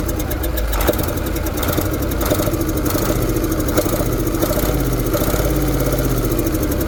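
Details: KAMAZ diesel truck engine idling: regular sharp knock over the rumble keeping time with engine speed; internal engine knock, cause not yet pinned down.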